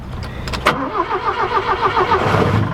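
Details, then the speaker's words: 1967 Toyota Corona RT40 first start after long storage: fires first crank then uneven loping idle, needs feathering throttle to keep running; owner suspects stale fuel and cold engine. "you've got to feather it to keep it running"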